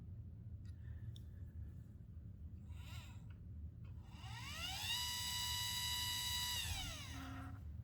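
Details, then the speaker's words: Celestron CGX mount, one axis: harsh buzzy whine rising, holding about two seconds, then falling; gear mesh barking from a misadjusted motor mount, being fixed by turning the mount bolt 1/16 turn at a time. "so 1 16 of the turn now let's check wrong way still there so we'll go back one sixteenth of a turn"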